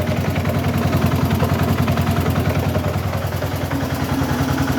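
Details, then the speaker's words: Transmission after correctly repairing the cluster gear, idling in third gear, high range: steady engine drone with even mechanical clatter, no gear whine or growl; transmission dead quiet, previous noise gone. "that's third gear idling um in high range i'm sorry shaky camera here but it's but the thing's not on the lift anyway the transmission is dead quiet"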